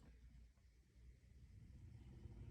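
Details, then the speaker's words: 2012 Hyundai Veloster heater blower in car after switch repair (contacts cleaned, washer added for spring pressure; speed 4 previously gave no ground to blower resistor): low steady whir building through speeds 2, 3, 4, no squeal or rattle; blower now works normally. "you hear that two three and four it didn't work at all when it got here or four didn't work at all"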